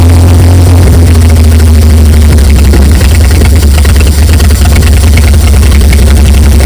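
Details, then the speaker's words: 1950s GMC truck V8 revived after over 30 years in a field, first run after fixing oil leaks and adding coolant: deep steady low rumble with even beat, no knocks, misses or hunting; normal smooth idle. "just idling like it fired like it's hasn't been fired up or like it was fired up yesterday."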